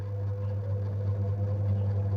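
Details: Samsung single-tub top-loading washing machine, unused for about a year and under repair, motor test-run: a smooth, even low hum with a steady tone and no knocks or grinding; the motor spins normally.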